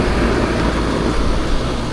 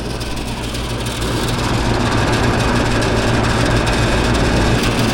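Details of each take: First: Packaged AC unit after replacing a damaged capacitor: compressor and fan start and run with a steady, even low rumble and airy rush, expelling warm air outside; normal condenser operation. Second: Package unit outdoor compressor tries to start but can't, a heavy low hum building as it strains and never runs; service call for a bad capacitor.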